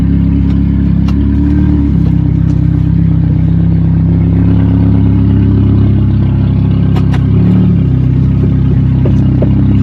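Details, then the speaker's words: Abandoned 2009 Ford Escape, 391,000 km, neglected in storage, check engine light on, heavy smoke, driving at light throttle: rough engine with loose uneven clatter and knocking over the drone, cause unknown. "So everything's knocking, everything's rattling, and you're gonna have to turn this beast around."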